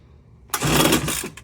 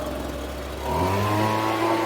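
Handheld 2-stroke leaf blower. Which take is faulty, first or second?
first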